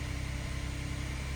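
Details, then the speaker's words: 2016 Kia Sorento 3.3L V6 idling right after replacing all six spark plugs; low, even hum with a steady pulse and no misses or ticking; normal smooth idle. "As you can see, fired right up. And looks like we're idling good."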